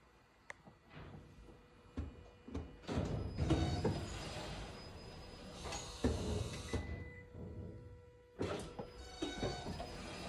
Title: Help, poping clicking noise when accelerating after braking. 2018 Toyota auris 84000 kms.